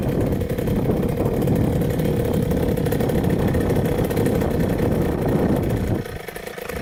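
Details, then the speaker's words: 2000 Cobra 50cc racing mini two-stroke dirt bike on a road flyby after top-end repairs: strong steady buzz holding revs under load, then fading; pulls cleanly, healthy. "that was sweet that was awesome it hauls pretty good this thing is crazy oh my gosh I mean I'm Way too big for it but that thing takes off"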